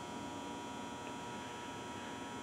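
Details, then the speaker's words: Optoma HD141X projector color wheel, door switch bypassed and no lamp fitted: a quiet, steady whir with no buzz or rattle, spinning three times before the lamp error; the motor sounds healthy. "and it should fire spin three times and then give us the lamp error hear that no buzz just spin"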